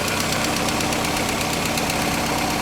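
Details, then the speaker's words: VW MK2 Scirocco petrol four-cylinder with Pierburg 2E2 carburettor, revived after three years sitting: steady silky idle with a light regular valve tick after fixing the thermo-time valve heater circuit wiring; idle stabilization valve working. "oh listen to that idle it's silk well comparatively for a Volkswagen 4-cylinder it's silk"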